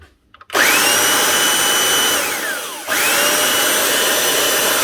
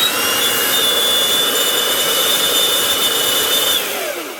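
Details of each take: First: 1998 Makita 9402 belt sander after full teardown, all bearings changed, new brushes and lead; smooth steady high whine spools up with no rattle or grinding and winds down cleanly, running like new. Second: 26-year-old Makita 9402 belt sander, running rough and squealing before teardown, power cable broken: thin high whine over a gritty, rough hiss while running, whine sliding down as it coasts off. Bearings shot, bronze bushings need cleaning and lubricating.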